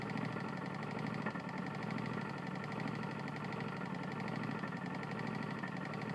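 Quiet steady idle with a dull rapid knock under every firing stroke, tied to engine speed; worn connecting rod bearing.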